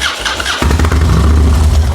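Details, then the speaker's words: 2016 Harley Road Glide, pipe and aggressive cam: starter whirs, V-twin runs lumpy about 1.5 seconds then sags and dies; stalls after start, owner suspects the wiring harness. "Yeah, see? It's gonna die. That harness fucked up."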